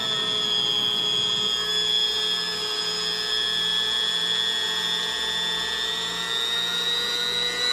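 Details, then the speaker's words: Vintage yellow Sunbeam Mixmaster Junior hand mixer after maintenance, run while the housing screws are tightened to check for binding: steady high motor whine with an even hum and a small early speed change, no grinding or catching; runs freely. "I'm going to turn it on up just tighten them down as I turn this on where we can hear if anything binds up which I'm not suspecting it will"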